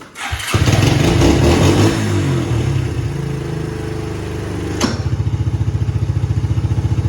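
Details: 1990 Suzuki Quad Runner LT 250 4WD single-cylinder ATV, after centrifugal clutch bearing replacement and clutch adjustment (previously stalled when shifted into gear); cranks, catches, revs briefly, then settles into an even thumping idle of about four beats a second; normal start and idle.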